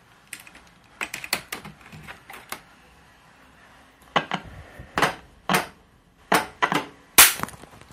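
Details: 1970s Sanyo 6707 TV powered on after a year and a half unused: irregular sharp cracks and snapping bursts at switch-on; owner suspects a short, possibly a capacitor, horizontal output or tube. Cause not confirmed.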